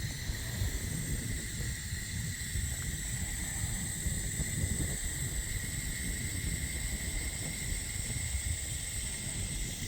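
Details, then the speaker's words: Water supply line after Moen shower valve replacement, valve reopened: steady soft hiss with faint whistle over low rumble, normal refill flow. "Tell your mom to turn on the sink water. Turn on the sink water. That way we get the air out. Get the air out."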